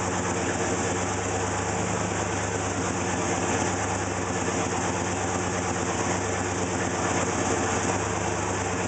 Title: 301 rough idle